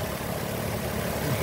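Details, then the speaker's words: 2007 Nissan Altima SE 3.5 V6, came in running and driving after left-side collision: smooth, even low-hum idle with a steady beat and no knocks, ticks or misses; healthy engine. "Here's your 3.5 automatic, you can hear it running."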